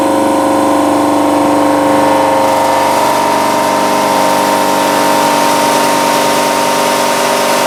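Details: Air cooler compressor driven by hydraulic lines after a blown hose was replaced, 1,100 pressure: steady droning whir with fixed tones, uneven pulse near 146 a minute; sounds weird; owner suspects undersized hydraulic lines, not confirmed.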